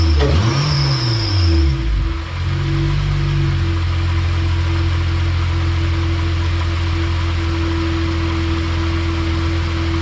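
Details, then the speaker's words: Acura TL just reassembled after reinstalling a Comptech supercharger catches and settles to idle with a thin belt squeal at start-up, probably from fluid on the belt (suspected); otherwise it sounds good. "All right, sounds pretty good other than the belt squealing, probably cuz there's fluid on it."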